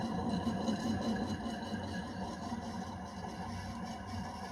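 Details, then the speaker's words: 1970s CG HB 56-inch (1400mm) 67W ceiling fan, 265-270 rpm, original windings and 2.25mfd capacitor, motor run without blades: rough, gritty grinding under the hum from worn bearings that need replacement. "let me turn on grinding noise from the bearings you can hear"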